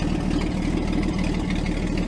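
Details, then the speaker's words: 1949 Chrysler with rebuilt 251 flathead six, first run in 18 months: low steady idle with a fast tinny rattle on top because the bottoms of the fenders are not bolted. "the bottom of the fenders are not bolted."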